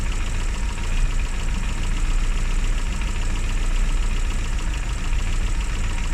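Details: Classic Mini with points ignition, idling after a hard cold start on the year's coldest day, following about three months unused: steady, even low idle with smooth rapid beat, no misses or surging; running normally.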